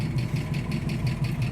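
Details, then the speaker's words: 289 V8 ("Old Blue") at idle: sharp, light lifter tick about five to six times a second over a steady idle. The tick persists, and the owner plans to open up the engine. "after pulling the uh rocker covers and you can still hear the old lifter tick um and that's what that's something I want to try to get rid of"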